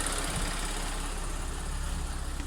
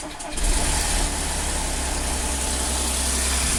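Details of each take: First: Audi S4 B8 3.0T supercharged V6 after timing chain repair for bank 2 P0018 jumped chain: smooth, even low idle after high idle drops, no rattle or ticking, WD40 burning off manifold bolts; no fault codes, cam deviation both banks matching. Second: Audi S4 B8 3.0T supercharged V6, first start after repairing bank 2 P0018 cam correlation fault where the timing chain had jumped a sprocket: sharp metallic chain rattle for about five seconds at start-up, settling to smooth idle once the dry tensioners fill with oil.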